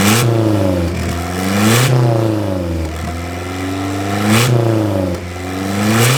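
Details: Nissan 240SX drift car just after a new head gasket, revving with sharp pops coughing out the intake filter; owner first suspected excess fuel or timing, though timing was checked repeatedly; broken turbo compressor fins, failed compressor wheel.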